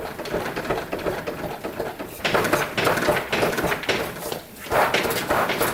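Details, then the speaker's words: Abandoned Yamaha Breeze with locked-up wheel, brake lever not stuck: rough gritty scraping in irregular bursts as the wheel is rocked back and forth until it breaks free of rust. "you can hear the rust you can hear the roughs in there it was rusty but it just broke free good to go right there"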